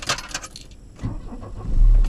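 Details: Volvo 240 2.3 petrol non-turbo after new spark plugs, wires, distributor cap and rotor: brief crank, catches at once, settles to steady even low idle; normal warm start and idle.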